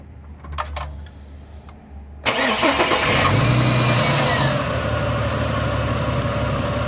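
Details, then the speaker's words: Ford BA Falcon I6 cranks, catches, then idles with an uneven stumbling beat; ignition coils suspected failing, front three still factory originals, back three previously replaced: misfire from failing ignition coil. "What we're going to do, I'm actually going to start it with it missing. Pull a plug and see if it still stutters. It should stop stuttering."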